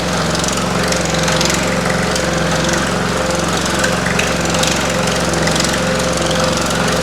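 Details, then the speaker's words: Pullmax-style machine shrinking metal with Stan Fulton plastic thumbnail shrinking dies; the machine shakes and makes noise at start-up, then runs fairly smoothly: fast, steady, even hammering with light rattle; normal operation. "My machine will shake and make some noise. And then once it gets running, it's pretty smooth. You will hear rattling, but just bear with me."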